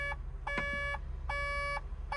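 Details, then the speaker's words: 140 LCR excavator sounding steady high repeating beeps, about half a second on and a third off, with a catalyst (AdBlue) tank level low warning after a reported SCR malfunction; AdBlue is to be added. "Oh, it is, look. Catalyst tank level low, catalyst tank level low, catalyst tank level low."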